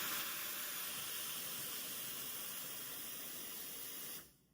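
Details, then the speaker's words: Espresso machine steam wand turned on; the lever should be wrapped in a damp cloth to avoid burns from high-temperature steam; loud steady high hiss of dry steam about four seconds, cut off cleanly, strong even pressure, wand working fine. "See it comes out with truly strong pressure. So you must always wrap it with this damp cloth first."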